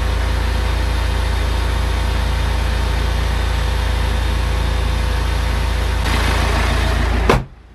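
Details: BMW N47/N57 diesel after crankshaft pulley (vibration damper), drive belt, tensioner and idler pulley replacement: even, steady diesel clatter at idle, no squeal or rattle from the belt drive, then shut off; normal idle.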